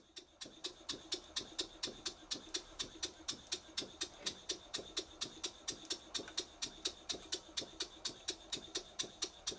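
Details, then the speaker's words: Cotswold Heritage vertical model steam engine running in on compressed air: sharp, even ticks about twice a second, roughly 125 a minute, steady throughout; knocking while running in, valve timing seems OK, cause not pinned down. "sometimes very well-built steam engines will knock if the valve timing is but the valve timing on this engine seems to be ok"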